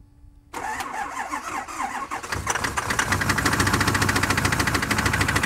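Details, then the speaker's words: 64 Power Stroke that always ran well: diesel catches and settles into rough idle with a sharp regular knock about three times a second over the clatter; suspected rod knock, unconfirmed. "Well, it looks like we're not going to be using the 64 Power Stroke today because it sounds like um the rod's knocking or something."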